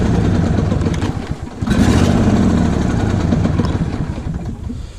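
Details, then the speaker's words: Lawn tractor small engine being run on fresh TruFuel before winter storage: cold start catches, sags and stumbles unevenly, then steadies once choke is applied; needs choke when cold. "Whenever if I do start this thing, it'll probably would want to start and then die, so I'll probably have to work the choke back and forth in order to keep this thing running."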